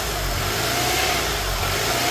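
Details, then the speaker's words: 2005 Honda Accord, sat several years, just jump-started: fast even idle that never settles down; scanner shows O2 sensor bank 1 sensor 2 and idle air control system codes; high idle from idle air control fault. "O2 sensor, and then an idle air control system. The RPM's higher. That's what you're hearing, that revving."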